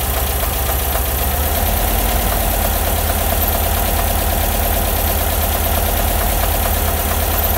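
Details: Bus air-cooled flat-four idling with a deep drone and faint, uneven ticking on top; abnormal engine noise at idle, cause unclear.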